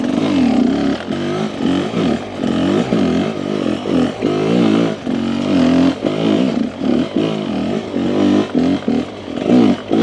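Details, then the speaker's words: Rieju with 36mm Keihin carb replacing 38mm stack carb, on a trail run: deep burble surging at low revs, lugging deeper cleanly without stumbling; smoother, more docile bottom end aiding traction. "I like the sound. I like the lug. It definitely feels like the bike is more docile on the bottom. Very smooth, very controlled. You can hear I can lug the bike a little deeper into the RPM, which assists me in holding control and holding traction."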